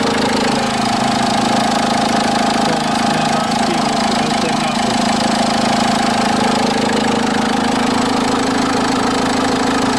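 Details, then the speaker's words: Idling petrol Dacia Duster engine with a fast, uneven rattle from the alternator side that disappears when the alternator is loaded by the lights. The engine vibrates at idle. The cause was a failed alternator overrunning (one-way) pulley, and replacing the pulley cured it. "włączę wyłączę albo łożysko alternatora albo to łożysko kierunkowe czyli sprzęgiełko tak zwane"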